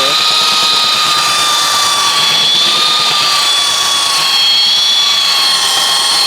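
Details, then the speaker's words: Roughly 65-year-old all-metal Craftsman belt sander, restored with grease, lubrication and a new belt, sanding a 2x6; steady high whine holds under load as the belt scuffs the wood, no rattle or bog. Running healthy. "I am extremely impressed thing really works good for an old piece of Tu"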